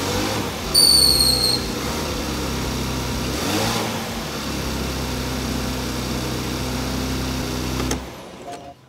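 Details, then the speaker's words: 2017 Porsche Macan GTS started after the faulty thermostat was replaced with the front clip left in place. It settles into a steady, smooth, even run with no knocks or misses; normal running. "sounds really good all I got left to do clear the check engine light"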